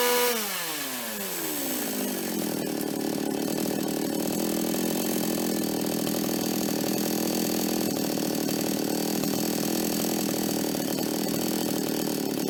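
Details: Toyama TCS46H two-stroke chainsaw after carburetor cleaning, which had caught but flooded and died when accelerated: revs climb fast then hold a strong steady high scream through the cut, no bogging or surging; running properly with L needle at 1¼ turns.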